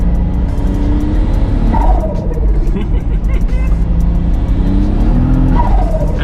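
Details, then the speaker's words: MK3 VR6 turbo Variant with base clutch and upgraded pressure plate: revs climb in rising sweeps on throttle without matching pull; clutch slip, can't hold the turbo power. "is all clutch unfortunately but we'll fix that still sounds good though man"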